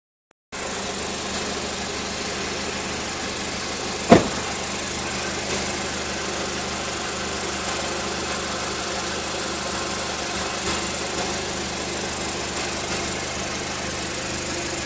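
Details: Car with a Milltek turbo-back exhaust idling on a 36-degree day: a fine, buzzy metallic rattle from the catalytic converter area underneath. The cause is suspected but not confirmed.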